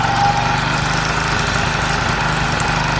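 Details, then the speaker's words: Sinnis SC125 125cc single motorcycle: chugging with ragged, unsteady beat that won't settle, running poorly; owner adamant it's the valves, valve cover not yet removed, cause unconfirmed. "when it moves and it goes but it ain't happy about it i've got to get that valve cover off because i'm sure it's the valves"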